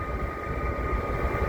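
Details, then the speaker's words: 1980 Mercedes 300SD (W116) climate control set back to cold on test drive: blower motor kicks on once it reads air temperature, steady strong air rush with faint even whine, no rattle or scrape; normal blower operation. "now if I go all back down to cold again I should hear the blower motor turn on and these open up once it reads the air temperature right here"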